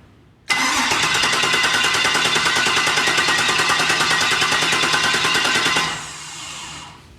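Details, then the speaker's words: LS3 V8 in rock buggy build, first start prep, computer off so engine cannot fire, cranked to build oil pressure; even rapid starter churn about three beats a second for five seconds, never catching; normal cranking without firing. "All right, so I'm gonna run the starter, see if we can get some oil pressure indication. Ready? Yeah. Computer is off, we should not fire."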